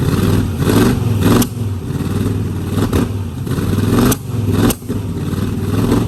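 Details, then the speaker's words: 1969 Mustang V8 that sat 15 years, after new solenoid and voltage regulator: lumpy idle with sharp pop about every second, dipping between; definite miss and carburetor spit-back; owner suspects timing slightly off, not confirmed. "I think timing may be off a little bit the reason you're spitting back but it still has a definite Miss"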